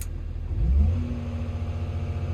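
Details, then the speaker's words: Construction machine diesel after the newly fitted rail relief valve was pulled and refitted: quick throttle blip climbing to a steady, even drone, no knocks; tons of power though check engine light still on. "I've put it back in and it's working a treat look got tons of power"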